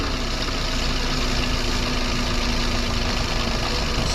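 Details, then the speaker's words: Perodua Myvi, engine warm, air-con on, after Toyo belt dressing spray on the accessory belt: smooth steady idle with no chirp or squeal; belt running quietly, problem solved. "Ah tak ada bunyi dah. Tak ada bunyi dah. Set masalah."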